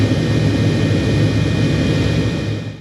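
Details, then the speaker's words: 2014 Ford F-150 A/C blower after replacing the fan damaged by a broken recirculation blend door and shaving down the rubbing wear; smooth, steady air rush as speed is raised, no rubbing or ticking; healthy. "turn to speed up all you hear is the fan moving"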